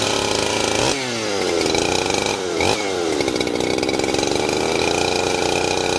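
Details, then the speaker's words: Husqvarna 371 XP two-stroke chainsaw after oiler repair, test run: blips up sharply twice then settles into a steady clean high rev; healthy running saw. "So I'm gonna fire it up, make sure it's oiling the bar real good, and we're gonna give it a shot and see how she cuts."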